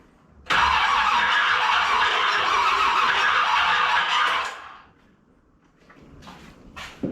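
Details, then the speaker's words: 1981 Corvette, after the distributor was flipped 180 degrees: the starter spins about four seconds without catching. The owner's specs suggest the timing is 180 out, and the battery is weak; unconfirmed. "Okay, according to my specs, that's 180 out. But the battery's dying, doesn't have enough juice."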